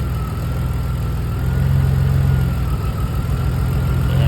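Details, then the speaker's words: Drift car idling after a layup while ignition coils are unplugged one at a time: the idle turns uneven and lumpy with a deeper, shakier beat as that cylinder drops out. Water and rust found in a coil well may explain the coil breakdown. "so I'm just checking through all these and you can hear the noise in the engine when you plug them out"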